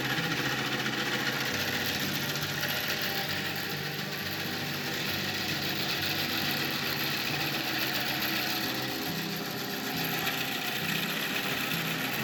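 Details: Antique wooden bandsaw bought at auction, powered up for the first time untested: a steady rough whirring with a loose, uneven rattle throughout; it runs but sounds harsh, cause unclear.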